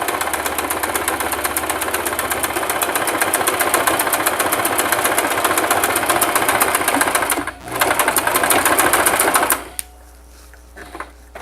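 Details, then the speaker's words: Singer sewing machine (3232 or 3252) doing a basic straight stitch with backstitch, foot pedal pressed harder: fast, even needle chatter with a short pause, then stops; stitching normally. "by a little more pressure to my foot pedal and got this going"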